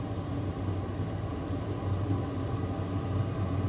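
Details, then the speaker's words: HCALORY 8kW toolbox diesel air heater running after about three minutes, warm air coming on a 60-65°F day: a constant low rumble with a soft fan hum that holds even throughout; not too noisy, burning smoothly. "And this thing is now rolling here. This air is going to get super hot real fast. You can hear the noise of it. It's not too noisy,"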